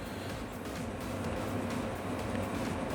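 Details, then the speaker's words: Diesel heater restarted after cleaning bugs out of it and blowing the burner out with compressed air, some unburned fuel possibly remaining; steady low burner roar with even fan rush, no popping; lit and burning normally. "we are already hear that the burning process is starting so probably there will not be a lot of smoke then I was expecting a little bit of smoke but it seems like it's already burning"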